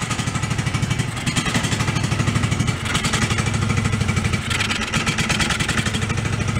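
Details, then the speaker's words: DR field and brush mower abandoned about 11 years, first run with no choke: lumpy, uneven idle with heavy low thumps and an irregular clunky beat; owner suspects valve adjustment, bottom end or drivetrain. "Yeah, it's a little clunky. It could be valve adjustment too, but it sounds like bottom endy, or it could be just part of the drivetrain."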